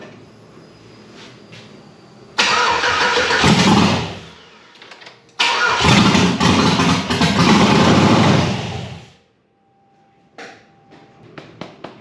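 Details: Chevy LS engine swapped into a 2nd-gen 4Runner, standalone harness, large cam, no belt fitted, started by tricking a relay; cranks, catches, runs rough a couple of seconds and dies, restarts and stalls again; fuel pressure found insufficient to keep it running.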